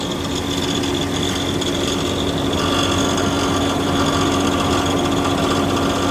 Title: OUTBACK 3.6r rattling sound